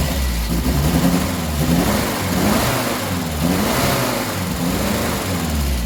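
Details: 1967 Triumph Spitfire MK3 abandoned project, first start-up: engine blipped up and down, a touch ragged low down and cleaner revved; lumpy especially at idle, rough running needing a tune-up, carbs to be stripped and cleaned.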